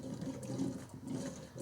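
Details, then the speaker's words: 1997-03 Ford F-150 5.4L 2V, engine off, first coolant fill with 50/50 Ford Gold after water pump replacement: soft watery gurgles surging about a second apart as hoses are squeezed to burp trapped air out of the system. "oh that's that big air bubble i talk about by squeezing the hose you're forcing the air bubbles to come out before you even start this engine"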